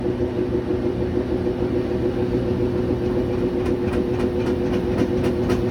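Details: GE GUD27ESSM1WW stacked washer and dryer, empty drum, spin cycle: over the motor hum, uneven thuds nearly four a second begin partway in; banging during spin even with nothing inside.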